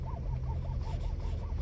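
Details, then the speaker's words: 2018 Ford F-250 Platinum with steering noise that remains after an expensive part was replaced: a low rubbing groan with a faint creak about every quarter second as the wheel turns; source not yet found. "ridiculous did they took my car replaced some part expensive part and still sounds like crap"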